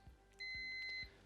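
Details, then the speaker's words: Digital multimeter continuity check with leads touched together before testing an electric meter's remote disconnect; clean, steady high-pitched beep of just over half a second, meter's continuity function working normally. "if it's working properly you will see the light up here and here this beeping noise that lets you know that continuity is present within the meter"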